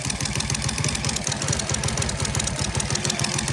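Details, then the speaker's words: Rusi 110 motorcycle engine idling unevenly with a fast metallic tick on top, like timing chain noise, and occasional stumble/misfire; misfire persisted after most parts were replaced; camshaft being removed, a spring stuck; valve train ticking with misfire at idle. "Mga >> boy >> meron tayong ginagawa ditong rusy cracken cracken mga boss >> yung andar niya yan parang may tunog timing change tunog timing chain"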